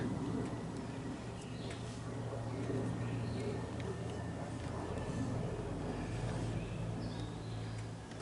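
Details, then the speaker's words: Briggs & Stratton 12.5 hp L-head single-cylinder revived after years of mice corrosion damage, throttle turned up slightly, exhaust getting hot; steady, even drone with no misses or knocks, now running. "Anyway, we could see this engine runs. Big step forward."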